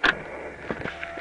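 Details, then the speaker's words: 1993 IROC Daytona running MS3 engine management, trying to get it to run: at key-on, brief thin electric whine with faint clicks as the fuel pump primes for 2 seconds, engine not running. "pump primes 2 seconds okay"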